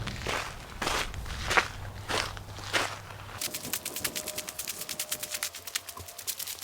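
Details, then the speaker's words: 1038 at startup: rapid, steady string of sharp beeps is the low air pressure alarm, as there isn't enough air pressure yet to release the air brake while the system builds air. "That is the sound of the alarm going off because we don't have enough air pressure to release the air brake."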